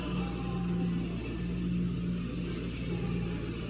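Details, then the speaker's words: Lincoln Town Car after installing modified, port-matched and beveled factory throttle body spacer, first start: deep even rumble, idled higher on startup than before then came down as it regulated, no misses or knocks; normal idle. "It actually idled higher on startup than before. And then it came down immediately as it was regulating."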